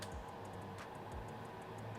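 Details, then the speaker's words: JetStream industrial coder vacuum circuit, valve 5 toggled on and off from device diagnostics: crisp light clicks over a faint hum show the solenoid valve is firing and its plunger is not stuck. "you can continue to open and close the valve and hopefully you guys can hear that clicking in the background"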